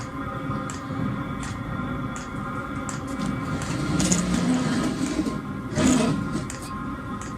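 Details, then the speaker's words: Chinese diesel heater on bench test with rotary controller, battery at 12.35 V; fan hum with soft whoosh building as the blower speeds up and exhaust kicks in, not fully fired yet. Normal startup. "Just starting to kick in now. I've got it on full power. You can hear it getting faster and faster."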